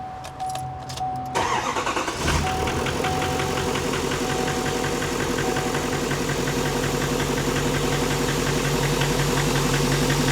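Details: Truck whose second newly built engine is already knocking with barely any miles, in the last 15,000 miles: engine catches and settles into a fast idle with a steady metallic tapping.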